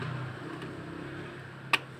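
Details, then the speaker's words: Refrigerator not cooling but light on: compressor tested with the overload, which is still good though slightly cracked. A low, steady hum with one sharp click follows, and current reads about 0.6 A. The compressor is running normally. "Nah di sini kedengaran kompresornya sudah hidup ya"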